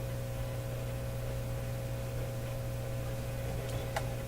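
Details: Nordmende Elektra F13 valve radio with reported fading output, output tube grid voltage slightly positive: constant low buzzing hum under faint hiss with a couple of clicks; strong hum, cause suspected (stage higher up than output), not confirmed.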